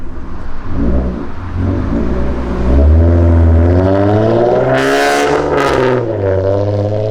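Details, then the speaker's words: Catless, fully straight-piped V6 Ford Mustang, catalytic converters removed, heard accelerating past: a loud, brassy, trumpet-like rasping exhaust that rises sharply in pitch. "let's just hear how crazy this exhaust sounds. It's like stupid loud. So annoying."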